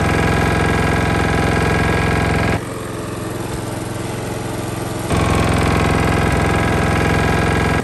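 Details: Lawn mower single-cylinder engine that had been run low on oil, rebuilt to fix a knock, running with rpm turned down; a steady, even beat with no audible knock, where before it knocked clearly: normal running after repair.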